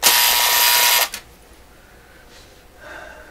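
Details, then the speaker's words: Vintage vacuum tube AM clock radio, make and model unknown, being checked out: a harsh, steady electric buzz for about a second that then stops. The clock's alarm buzzer going off and working. "I think that was the alarm in the clock."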